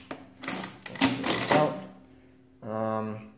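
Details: Wales adding machine after cleanup and repairs: rapid clattering strokes then a brief even buzzing cycle, consistent and free; all columns working, though the ribbon needs replacing.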